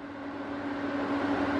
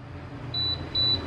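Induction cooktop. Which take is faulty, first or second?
second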